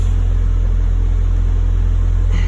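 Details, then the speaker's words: Toyota Celica ST185 GT4, warming up before MOT retest after steering rack and tie rod fixes, no fault codes: deep even drone with steady low beat, no knocks, rattles or wobble; normal running. "Seems okay."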